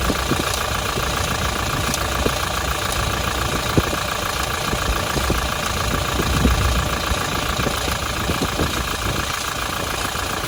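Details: Toyota Hilux 1GD-FTV diesel idling with fast light metallic rattle over the clatter; timing chain noise, timing chain needs replacing.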